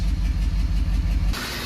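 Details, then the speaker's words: 6.7 diesel pickup at idle with a lopsided, lumpy beat and sagging note; a power-balance test shows one cylinder far down and compression loss on cranking, because a glow plug broke off and destroyed the cylinder; engine is coming out. "The change is so dramatic on the RPMs because the cylinder is so down that it won't even let you do it."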